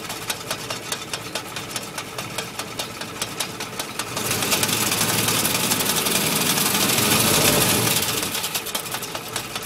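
Crisp, even ticking rattle of about four beats a second at idle, drowned out when revved; sounds like a rattling clutch.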